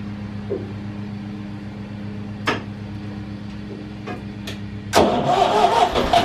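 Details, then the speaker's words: Massey Ferguson 35 tractor, long unused: lumpy, limping idle running on two cylinders; one cylinder honed at rebuild and never worked in; runs on three cylinders when warm and under load. "seeing here it was only running on two cylinders or so it's because uh the one cylinder got honed out when it was rebuilt and it hasn't been worked it's just sat"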